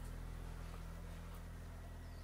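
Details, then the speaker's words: Vauxhall Tigra 1.8 with a newly fitted exhaust system, idling and revved: quiet, even low rumble, steady level, no puffing or ticking from the pipes; healthy idle with no exhaust leaks. "let's give it the Rev see what she sounds like hold [Music] on yeah no noise whatsoever"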